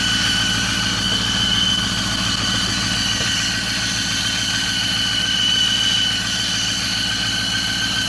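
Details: 2008 Ford F-350 Super Duty 6.4 diesel at idle: thin, steady high whistle over the clatter; noise disappears when the turbo actuator is pushed, but the mechanic blames the exhaust manifold.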